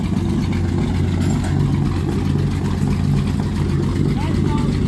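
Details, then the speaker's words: 1946 Power Wagon engine just started, after carburetor work now getting needed fuel: low even rumble with clean throttle response, no misses or stumbles; normal idle. "good it sounds too good now that's freaking awesome holy crap that's awesome it's there's no misses no nothing it's so it's actually getting the fuel it needed"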